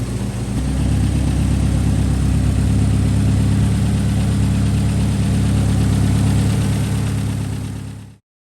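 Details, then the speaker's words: Steady, smooth idle of a Subaru Impreza WRX STI turbo engine with no exhaust ticking, after replacing the turbo and leaking up-pipe; exhaust leak gone. "Well, there she is running again. It sounds great actually. You used to be able to hear the awesome exhaust leak from in here. Now everything sounds nice."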